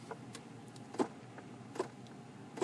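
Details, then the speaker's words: 2002-2010 Ford Explorer with 93,000 miles, heat on after warm-up: sharp plastic clicks about every 0.8 s from the center stack by the feet; blend door actuator gears broken, skipping toward the hot position, causing no heat. "Now, as you may know, the blend door actuator on these, the gears break off on them, and then they start trying to move, and it actually keeps popping on the gears, and it'll make that noise."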